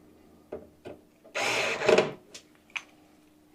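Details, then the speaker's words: Electric screwdriver fastening a screw in a PC case build, torque set to 18: short motor whir ending in a quick ratcheting click as the screw seats; the torque clutch slipping at its setting, normal and not skipping. "That clicking noise is not actually skipping or anything. That is actually, the clicking noise is from this number here. It's the amount of torque that's being given right now."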